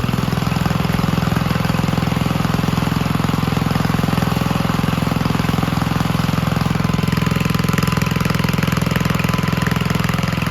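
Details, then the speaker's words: 1951 Gravely Model L single-cylinder garden tractor, after its weak original magneto was replaced with a hotter backup one, fires right up and thumps steadily and evenly at constant speed with no misfires; it burned a little oil at start and needs minor adjustment. "well it looks like it was the Magneto after all once we got that addressed one tractor fired right up and it's running pretty well"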